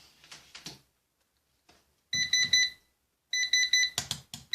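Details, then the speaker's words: Orvaldi INV-12-840W Home UPS (error F05, no 220 V output) first powered after replacing shorted IRF3205 and KGF75N65KDF transistors; 220 V output appears but the alarm beeps in groups, cause uncertain (suspected low battery, fans or temperature). "Це добре що пищить не знаю що воно пощить А може нема не знаю вентиляторів температура"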